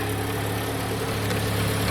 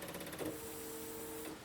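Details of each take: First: Jeep started after new battery, with a bad fuse connection in the fuse block: steady low idle with rough puffing rasp underneath; exhaust leak, to be fixed with a tin can and pipe clamp. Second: Jeep with a bad fuse connection that has to be wiggled, on a mild 55°F day: after the seat belt buzzer and a faint click, a short steady electric hum of about a second; fuel pump priming.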